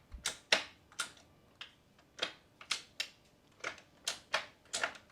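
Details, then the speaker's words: F80 BMW M3 crash rebuild, new manual transmission shifter after the crash broke the old one; crisp, clean clicks through the gates, about two per second, no grind or slop; shifting properly. "It sounds like it's shifting amazing now"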